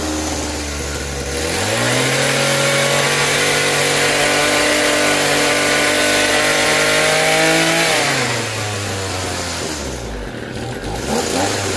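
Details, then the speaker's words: Echo SRM-2320T string trimmer, a heavily used curb find, off choke: it revs to a high steady scream, holds about six seconds, then drops back. It starts and runs; the owner rules out spark and suspects a worn-out carburetor. "All right, so diagnosis here, I could tell it's a start and run. To me, I don't think it has anything to do with spark. I just think the carb itself is already worn out."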